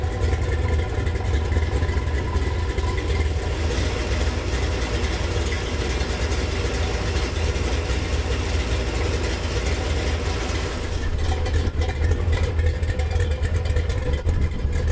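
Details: Gen VI L29 454 big-block V8 on an engine stand, factory ZZ502 hydraulic roller cam on 110 LSA: deep loping idle with steady lumpy rhythm and light blips; runs clean and even, healthy.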